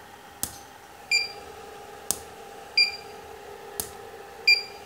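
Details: Profoto Compact Plus 600 flash, repaired from total failure (no ready, no reload, burnt board traces), tested at half power: sharp flash pops about every 1.7 seconds, each with a bright double ready beep; fires and recycles properly.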